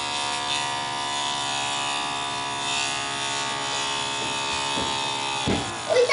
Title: Dell XPS 1340 - strange noise on DVD drive TSSTcorp TS-D633A.MPG